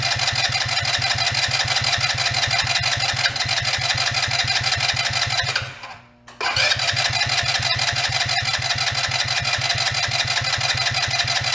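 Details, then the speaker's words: Two-passenger CVT ATV, believed 150cc, long idle; after draining odd green fuel from float bowl, steady cranking about three beats a second, pause, more cranking, no firing. Carburettor possibly plugged, starving it of fuel; old gas may not burn. "Could be all that gas, it just won't even burn."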